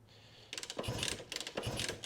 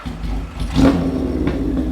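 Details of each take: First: Honda CB160 (1967), diagnosing no-run after adding fuel to the cylinders: repeated kick-over strokes clatter in bursts with no firing; engine turns but never catches despite good spark, more work needed. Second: 1977 Kawasaki KZ1000 inline-four with 4-into-1 exhaust, revived after sitting a year, started cold on choke: catches with a quick blip of revs then settles into a steady, even, healthy beat.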